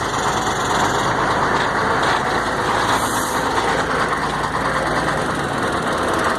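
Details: Mercedes-Benz 1634 diesel truck in gear, noisy only when the throttle is released; gearbox, differential and engine checked: heavy diesel rumble with a harsh, gritty clatter from the rear drive.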